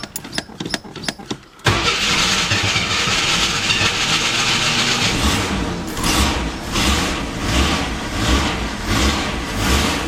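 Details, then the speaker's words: AMC Eagle 258 after a TFI ignition upgrade and new coil wiring, first cold start: it cranks, catches, then runs fast and surging at a rough high idle. The owner suspects the choke is on backwards, possibly a vacuum issue. "open this door and Oh rough start the carburetors and burst of leaves I guess I got it wired correctly"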